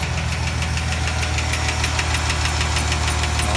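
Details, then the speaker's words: 2008 Chevrolet Silverado 4.3 L V6 after sitting, idling before an oil filter change and transmission-fluid treatment; sharp light ticking about three per second over steady idle, hydraulic lifter tick. "go ahead and fire it up so you can hear it it's pretty good tick that it's got"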